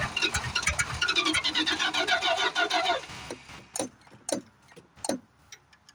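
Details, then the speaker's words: 1973 Plymouth Fury III with 360 V8 just installed after car sat engine-less 7 years: rough uneven firing, then dies to sharp pops and bangs, blowing fire; cause unconfirmed, owner suspects retarded timing or exhaust restriction. "Yeah, she's blowing fire again. Boy, that gas out there don't smell too good. Come on, baby. It's sure blowing fire. Wonder if there's an exhaust restriction."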